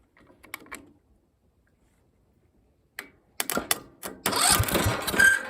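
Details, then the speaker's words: Briggs & Stratton single-cylinder engine with good compression, running after a coil swapped in from a parts engine: a few rough pulls, then it catches and settles into a steady, even running beat; starts and runs properly. "she runs she runs I would just like to hear it run a little longer though"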